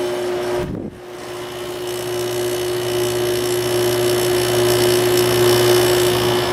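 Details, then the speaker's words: Window AC made by LG, with an LG compressor, slow to start cold and warmed by a heater blowing into it: a brief dip, then a steady low hum with an even tone builds and holds as the compressor finally kicks on. "so let's start it up no compressor yet probably going to have to put the heater in front of this one unfortunately"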